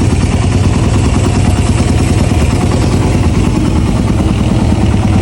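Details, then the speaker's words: Raider 150 carb single-cylinder after correct valve shim sizing and settings: steady, even idle with a smooth low beat, no top-end ticking, sounding like new. Idle is to be raised slightly to about 1.3. Normal idle. "Dahil tama yung sukat ng mga shim natin, tama yung settings. Parang bagong labas sa kasa mga sir, yung tunog niya."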